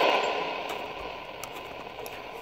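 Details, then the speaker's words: 1962 Zenith Trans-Oceanic 3000 radio after power supply jack repair, tuned to shortwave with volume turned up: steady hiss and faint crackle, no stations received. Set works; the band is simply empty. "much on shortwave anymore at least not in English I don't think anything runs on English in shortwave"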